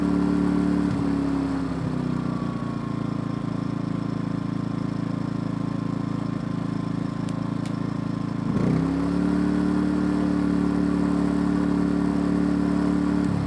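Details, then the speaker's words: Smarter Tools generator, after a carburetor repair: a steady drone that settles to a lower, even idle once the smart throttle is on, with no misses or knocks. Normal idle. "that turns the smart throttle on idles down running good problem with that"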